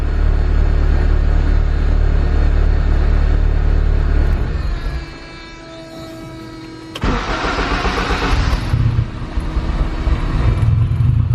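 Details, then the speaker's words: Turbo K24-swapped Honda Civic EP3 (built A4 bottom end, Kpro/Hondata) that won't rev: after adding 40 on the fuel map it stumbles and wants to die on throttle, and leaning it is worse. It was lean; it revved only after about 120% more fuel. "I wonder why it's wanting to die when I give a gas that's kind of odd so I'm saying I wonder if this is just too rich let's try to go the other way"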